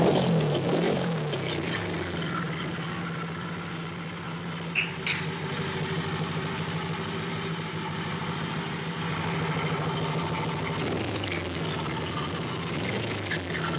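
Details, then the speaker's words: Honda CB77 Superhawk 305 twin, stored for years, first run after confirming spark on both sides and fuel: steady idle with a loose, uneven mechanical clatter over the exhaust. Oil level full; source not found. "it's making some kind of Racket over here let me see what that is"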